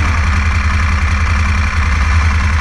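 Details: 2016 Moto Guzzi Griso 1200SE V-twin after ECU remap, warming toward 60 °C before throttle body balancing: steady, even low thrum with no knocks or misses; normal idle.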